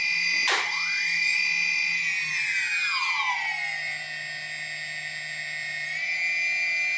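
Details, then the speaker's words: DJI Phantom Vision / Phantom 2 after T-Motor Antigravity motor conversion, throttling up: sharp thump as motors rev, then the high whine sags and drops in pitch as the motors briefly cut out. "okay so you guys can clearly hear the the the thump so what happens is that the uh the motors will actually cut off"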